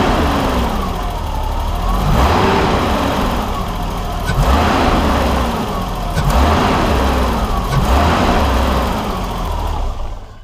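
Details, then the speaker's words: 1989 BMW 325i E30 after timing belt, water pump and gasket job and refitting the missing pulse sensor: straight-six idles fairly steadily with low even hum, much better than before rough idle. "so you tell this thing runs a whole heck of a lot better than it did before"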